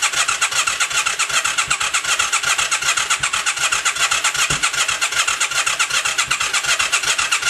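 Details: 1996 Yamaha XV535 after a starter clutch replacement, battery charged, fuel pump heard clicking: the starter churns in even pulses, two or three a second, with occasional exhaust smoke puffs, but never fires; cranks but won't start.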